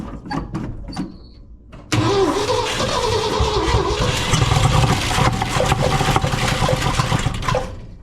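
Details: 1967 Ford F250 first start in 30 years, after new plugs and plug wires, spark confirmed, 50:1 two-stroke mix poured down the carburetor: ragged cranking with a few uneven firings that die; fuel pump then found delivering no fuel.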